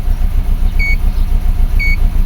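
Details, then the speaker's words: 2004 Subaru Forester EJ20 turbo with low power mostly when cold in the morning, idling at start: rough, lumpy idle with an uneven low pulse stumbling every few beats, plus two short beeps; steady misfire, cause still being diagnosed. "And yes, it does have a miss. Oh, it's running really bad."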